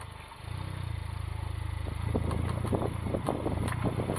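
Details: Honda Civic Type R FK8, clicking from the front passenger wheel when turning: steady rapid ticking, about three per second, over low rumble; CV boot/joint checked and looks intact, cause not identified.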